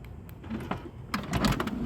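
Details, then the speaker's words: 2005 Toyota Sienna passenger-side power sliding door, shown for reference while the driver side has a faulty closure motor: soft clicks, latch clunks and a brief motor whir as the door cycles smoothly; works normally. "so just for reference purposes I'm going to go ahead and do the passenger side so you can see it works fine"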